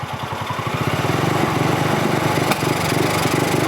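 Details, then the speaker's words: Polaris RZR 170 (169cc four-stroke) single-cylinder engine, warmed up with choke off, after idle and pilot air screw adjustment: idle smoother, but it runs unevenly with a pop, sputtering and bogging a little at full throttle. "get it and it bogs down a little at full throttle"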